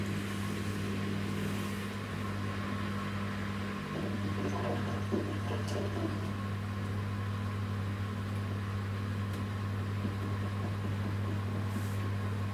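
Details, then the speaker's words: New Samsung WW10N645RBW washing machine (November 2018), first use after leveling the legs, spin cycle rated 73 dB: steady low motor hum with a faint whirr, no banging or grinding; spin starting normally. "the Mon wall says that when spinning like this the sound level is 73 decibels which is a slightly above conversation level"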